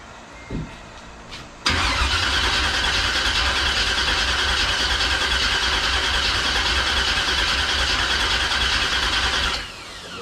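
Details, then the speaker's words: 1971 Chevrolet Chevelle small-block V8, after sitting for years: strong, even cranking about three turns a second for eight seconds, starter healthy, no backfires, never catches; normal cranking, no start yet. "yeah he's turning over it sounds correct you know what I mean no bad I don't feel I don't hear any backfires"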